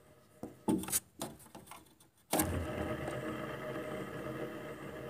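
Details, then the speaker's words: Window air conditioner fan motor, noisy after being taken out of storage. After handling clicks it starts with a steady, rough, buzzy hum. The owner suspects water got into the fan motor bearings; the fix is replacing the bearings. "too noisy it shouldn't make any noise too noisy"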